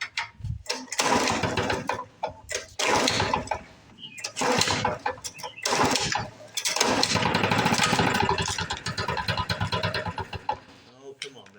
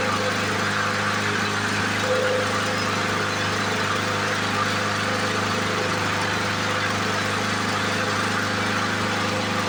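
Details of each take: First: 1977 Ryan commercial bricktop two-stroke mower, first start after decades in storage: fires in ragged bursts and sags without reaching proper speed; not enough RPM, owner suspects fuel system/carb, unconfirmed. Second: 1977 Ryan commercial bricktop mower, stored for decades, run again with makeshift wheels and handle: a steady, buzzy two-stroke drone at even speed, no misses or knocks. Normal running.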